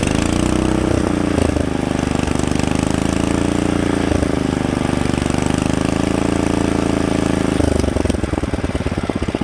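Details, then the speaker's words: Rebuilt Kohler K91 engine after a carburetor float fix, at fast idle: a steady, even, unbroken beat with no misses or knocks until it drops off near the end. Healthy; only slight governor adjustment possible. "with a little bit more you know governor adjustment on a better adjusted carburetor i don't think you could ask for anything better than that"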